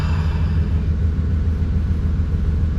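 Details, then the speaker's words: 1992 OBS Chevy truck just after fuel pump and fuel level sender replacement: primes, starts, deep steady idle with even pulse about seven beats per second, no misses or knocks, fuel gauge works; normal idle. "See, we still got fuel quantity, and she runs."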